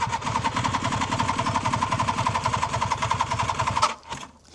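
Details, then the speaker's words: 1976 Suzuki GT750A two-stroke triple, restored, stone cold after a week unused, choke on, electric start: starter grinds slowly about 3.5 beats a second, labouring and uneven, drops away without firing; slow cranking, then starts on next try. "Sounds like it's a bit slow at turning over, so I might have to kick it. I'll give it one more go."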